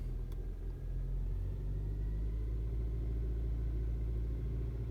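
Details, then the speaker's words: 2012 Hyundai Santa Fe 2.4L manual, 236,000, which stalled off-throttle with codes P0017 and P0079, revved in neutral after the fix: steady engine note rising gently, no stumble or dying. Cam/crank timing now matches and holds. "And yeah, it's holding. So with these variable valve timing systems, if you change the RPMs rapidly, for a brief moment in time, there will be a difference."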